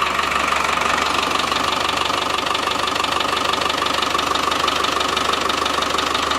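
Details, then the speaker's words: Ex-RAF Land Rover Defender 110 diesel, first start after timing cover and crank seal work, checking timing wasn't disturbed: even diesel clatter at idle, steady and unchanging; the engine runs well. "that sounds nice well that's good engine runs sounds really sweet actually"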